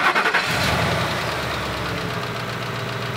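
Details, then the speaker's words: Ford F-250 with 280,000 miles, 5.4 L V8 and five-speed automatic: cranks, starts and settles into a steady idle with a faint lifter clatter; slight lifter tick, normal for an old engine. "sounds decent i can hear a little lifter clacking but you expect that on an old engine"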